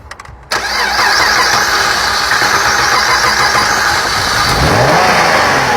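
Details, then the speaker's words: 2008 Dodge Avenger after head gasket and timing replacement: cranks, catches, runs loud and uneven with a ragged hunting note, stays running only with the pedal floored; brake cleaner at intake improves it, indicating a vacuum leak. "Also runs like crap and we try to start it. We can only keep it running with our foot to the floor."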